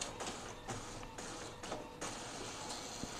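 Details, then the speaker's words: Epson L15160 printer after timing belt replacement, test-printing 10–20 sheets: regular swishing feed strokes and carriage passes, even, without grinding or skipping. Feed is normal and not too noisy, with a slight worn sound that is still safe. "suaranya Masih normal enggak terlalu berisik Walaupun ada terdengar suara yang aus cuma masih aman"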